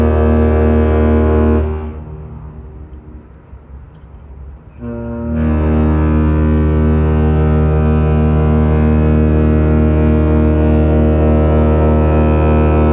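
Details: Laker James R Barker arriving at Duluth at night: a deep, steady horn salute cuts out for a few seconds (misfire), then returns full and even. The horn is sounding properly.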